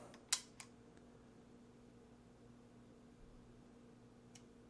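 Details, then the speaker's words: Roland DEP-5 digital effects processor after installing new I/O bypass relays, powered on: two crisp clicks close together over faint steady hum, relays switching together cleanly with no front-panel error codes; normal relay click. "let's listen yep they three together"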